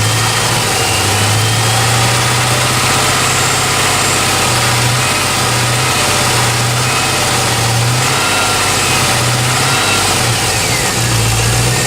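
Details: G8 petrol engine running with a steady low drone and a loose, repeating knock before the sound cuts off; engine knock.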